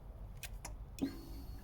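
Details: 2014 Yamaha XJ6S Diversion, under 12k miles, key on after a failed start: faint steady electric hum for about a second, the fuel pump priming as it should; tank suspected empty.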